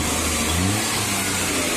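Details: Maruti Suzuki 800 (about 2010, CNG/petrol) with misfire codes P0301–P0303 traced to spark plug wires, after rerouting the wire and adjusting the distributor gap: the three-cylinder revs evenly and pulls cleanly, with no stumble.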